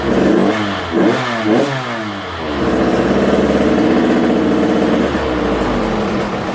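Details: Husqvarna TC85 two-stroke, freshly rebuilt (crank, piston, bearings), warmed up and smoking from the extra two-stroke oil on the crank: sharp blips, then a strong held rev-out that climbs cleanly. The power valve opens; it runs healthy.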